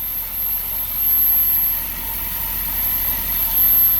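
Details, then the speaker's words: Porsche Panamera S after timing chain job, started once refueled after running out of gas: quiet, smooth even idle, no misses, knocks or vibration; no check engine light. "listen to how smooth that is look at that not vibrating at all wow amazing"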